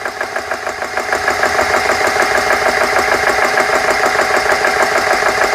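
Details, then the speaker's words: GX CS3 high-pressure compressor after repair, dead-head set to 4500 PSI, fans on: steady, even pumping at about two strokes a second as pressure builds past 2,000 PSI after closing the bleed valve; running smoothly, normal. "Sounds good so far. Let's close the le valve and see what what it does."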